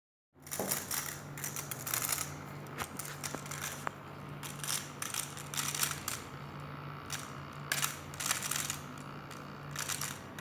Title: MacBook Pro Scary Grinding Sounds